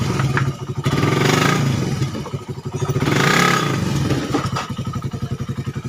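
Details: Suzuki Satria FU 150 cc after correcting cam-chain top timing mis-set by another workshop, which had caused rough idle, harsh sound and weakness. Now an even single-cylinder idle thump rises into smooth revs and settles back steadily. Clean, with no roughness.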